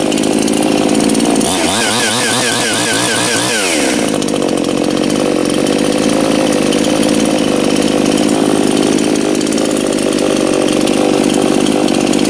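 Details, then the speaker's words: New Anbull chainsaw just started, left idling for break-in: brief rev blip, then smooth even idle with no stumbling; normal idle. "i'm just gonna let it sit there maybe burn through a half a tank of fuel and just kind of let it get acclimated to running"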